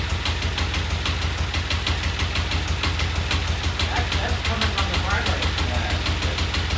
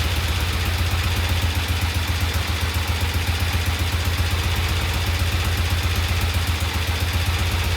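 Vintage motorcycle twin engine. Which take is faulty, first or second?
first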